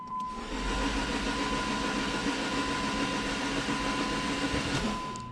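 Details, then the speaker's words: Dodge Neon SRT4 before first start, cranked with relay out, spark plugs out and coil pack disconnected: even fast starter whirr with no firing or compression pulses, building oil pressure. "I do have the relay out the spark plugs out and also I disconnected the coil pack so let's go ahead turn this off and do it"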